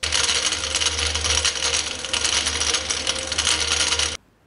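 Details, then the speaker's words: Brake rattle with the brake released, typically on rough roads, from play caused by a wrongly specified pad of different dimensions: dense metallic rattling and clattering over a low rumble. "o quinto tipo de ruído que iremos falar é o ruído de batida quando o freio não está acionado"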